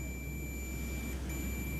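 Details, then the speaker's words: MX HP Pro 20000 amplifier (4000 W per channel) in protection mode: steady high continuity tone with one brief dropout across an output transistor, shorted from every pin; output transistor dead short, resistors checked OK. "ये full shot है, कहीं से भी check कीजिए एकदम shorting है।"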